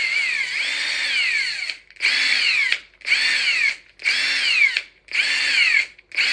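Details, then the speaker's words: Ingersoll Rand impact wrench after cleaning, lubrication and reassembly: six short even trigger bursts of motor whine, no rattle; much smoother than the earlier mechanical noise, normal run. "definitely it definitely sounds different now that I did that used to sound like like there was a lot of mechanical stuff going on it's like there's a lot of smoothness in there"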